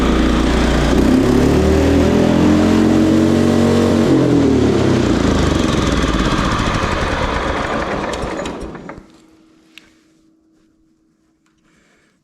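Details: John Deere STX38 rider with Kohler Command 13 single-cylinder engine, gravity-fed fuel, sat about a year, choke start: runs high and steady, never idles down, then cuts out; over-revving, governor suspected but cause unknown.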